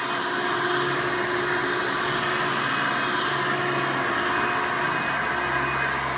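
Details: Hoover Elite 88 vacuum running after its worn motor was replaced with one from a trash-picked Hoover 95: an even, high-pitched motor roar with no wavering, grinding or rattle. Suction and sound are much better, so running is normal.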